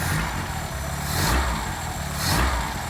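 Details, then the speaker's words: 1980s Vauxhall hot hatch barn find, long stored, downward tailpipe, exhaust without holes: smooth, even idle with gentle blips, no puffing or ticking; normal idle. "Listen to that. Really, really smooth."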